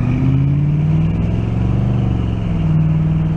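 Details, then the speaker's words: 1986 Oldsmobile Cutlass Supreme V8, road test under load: steady low rumble rising smoothly with no stumble or skip; no miss now, not a powerhouse but not bad; normal running. "sounds much better no miss now i would exactly say it's a powerhouse but not bad"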